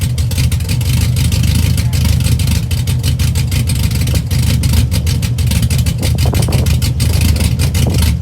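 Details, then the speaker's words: 2004 Chevy Silverado stock 5.3L LS V8, first cold start after cam and springs swap (218/227 duration, .526/.524 lift, 109/115 LSA), accessories unhooked, weak battery: choppy, lopey idle, strong low pulse, throttle blips; cam sounds good. "So you guys heard it, fired right up, aside from a little bit of the dead battery, but sounds pretty good. The cam sounds pretty good."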